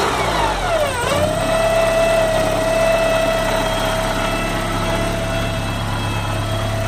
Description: Porsche 944 engine whine / hissing sound